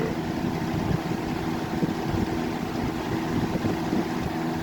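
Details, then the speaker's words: 1994 Lakewood Comfort Edge model 200i box fan (motor 60 Hz, 2.1 A) on 122 V, high speed: even rushing airflow with a low, steady hum and no ticks, rattles or wobble. It runs smoothly. "We're going to start it up on high. The thing runs pretty good. Moves pretty decent air."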